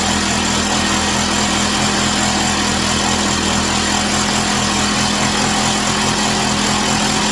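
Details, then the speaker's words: Chinese Amazon mini bike small single-cylinder engine after first start, warming up on a table, rear tire spinning: steady even buzz, no knocks, misses or surging; smoke stopped, running healthy. "So it's running nice and smooth. The smoke stops. The back tire spinning."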